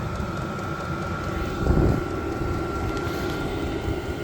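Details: Vevor 8KW diesel heater turned all the way up to level 10 in manual mode, output very hot; steady roar of blower and combustion with faint constant whine, no surging or popping, healthy at full output.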